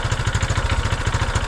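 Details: 1975 Honda XL250 during a revival, running after the owner believed he had sorted out a brief rough-running episode, while the lights are tested. An even, steady single-cylinder thump at a quick idle with no misses or popping: running clean.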